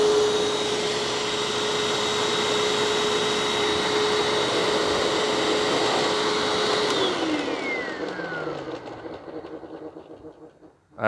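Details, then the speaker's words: Hoover WindTunnel self-propelled curb-find vacuum, uncleaned, with the red dirty light staying on; it later measures about 65 inches of suction. Loud whirring roar with a steady mid-pitched hum that drops as it spins down. Loud motor noise, cause unclear. "don't know if you can hear that or not but it certainly makes a bit of a racket"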